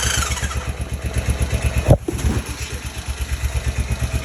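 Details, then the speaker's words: 2005 Honda Rincon 650 at idle after timing chain tensioner replacement; steady, even low thumping with none of the earlier rattle; engine running smooth. "sounds smooth none of that crazy rattle at the day"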